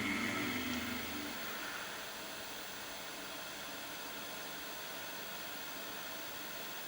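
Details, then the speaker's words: Sega Dreamcast console fan running constantly after startup: a brief VMU startup chirp, then a steady airy whoosh with no rattle or grinding; noisy but normal fan. "It does have quite a noisy fan. I don't know if you can hear that. The fan is constantly going."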